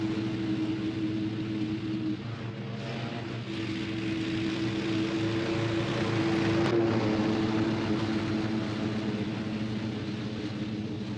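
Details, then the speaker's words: 26 HP Kohler V-twin riding mower after replacing the failed ignition coils, mowing tall grass at full throttle: a steady drone under load, pitch dipping slightly in thick grass but never missing, then a smooth idle. The repair is confirmed. "so she went through all that Tall Grass at Full Throttle and didn't miss a beat and the idle's nice and smooth it's as smooth as it's ever been"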